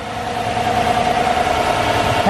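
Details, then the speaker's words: 2020 Chevrolet Colorado with V8 swap, idling with hood on after first short drive; electric cooling fan comes on slowly, ramps up as needed, holds, then slows. Steady even V8 idle under soft fan rush, no knocks or misses. Fan controls seem right, not running wide open. "the fan is spinning very, very slowly, and it's the way it's designed to do. It kind of comes on slowly, and then as it needs it, it kind of ramps up the speed and holds it, and then it brings it back down."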